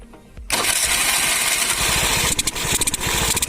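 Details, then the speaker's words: TVS Scooty Pep self-start repair: starter motor opened and fixed, before air filter refitted; starter catches at once and small single settles into quick even putter; starts cleanly. "Now put back the filter in its place... before that, lets see if scooter self starting or not..."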